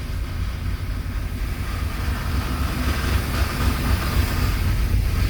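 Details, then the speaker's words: 1995 Chevy 1500 (GMT400) V8, first start after fixing misplaced spark plug wires: a rough, rapid knocking at about four per second over the idle from the front of the engine, something loose striking the fan. "But honestly it sounded like it sounded like the sound was coming from the front here. Um like something was rattling."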